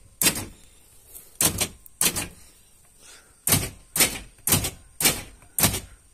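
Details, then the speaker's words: Repaired original Toyota Kijang central lock module: eight crisp matching snaps in quick bursts as each door lock actuator throws cleanly, all locks cycling properly. "semua bergerak ya ini data sambung juga oke udah jalan"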